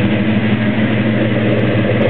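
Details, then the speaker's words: 1972 Chevrolet Chevelle SS 402 V8 with top-end rebuild six months ago, dual exhaust: fires right up into a deep steady even burble with no misses, knocks or ticks; normal idle. "fires right up great tone from the dual exhaust"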